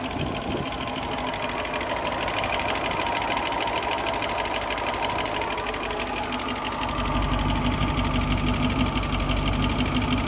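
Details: 1972 Range Rover V8 with idle being adjusted from about 775 down to below 700 rpm: steady, even idle with a soft regular patter of about three beats per second, settling lower and sounding healthy.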